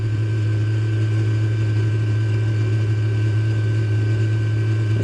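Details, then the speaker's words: Unit running with steady deep hum, flat higher tone above and slight irregular pulsing; owner finds the noise odd and unexplained, cause unclear. "kind of a funny noise it's making [Music] though I might have to sit with it for a while"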